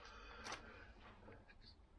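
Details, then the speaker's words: 1964 Lambretta Li125 gearbox rebuild: loose metallic clinks and rattling as the gear cluster moves, excessive end float with the shim far too loose. "trying to shim up the gearbox that's far too Lo loose you can hear that rattling around"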